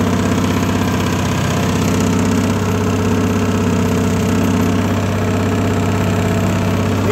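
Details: Harbor Freight Predator 670 22 hp V-twin swapped into a Bobcat skid steer in place of its roughly 32 hp diesel, first test run with old exhaust smoking: even idle thump with hydraulic whine, no misses or knocks; engine running fine.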